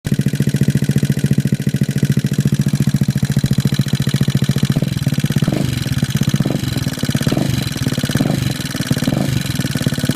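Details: GY6 scooter engine with newly installed A12 cam, valves set to 0.05 feeler gauge: quick steady ticking over its low idle putter.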